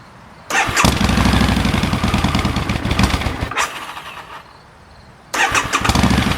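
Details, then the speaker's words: 2011 Harley-Davidson V-Rod VRSCF Muscle with the connector unplugged to purge the lines before replacing the fuel sending unit; it fires and runs rough about four seconds, then stalls from fuel starvation, followed by a short crank burst. "And once it's disconnected, you want to start the bike and let it stall out."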